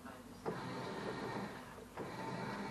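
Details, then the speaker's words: LG washing machine, previously stuck on taking in water, after pressure switch replacement, tub manually half-filled: drum motor hums in even agitating bursts about 1.5 s apart; normal wash cycle. "So as you hear the machine is washing. So the new pressure switch installation is working."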